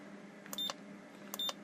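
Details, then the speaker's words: Ranger 2950 radio after repair of non-working front-panel buttons: two short high-pitched beeps about three quarters of a second apart over faint hum as buttons pressed; press registers cleanly. "Split. Won't do anything because it's not programmed yet, but it makes a wee noise."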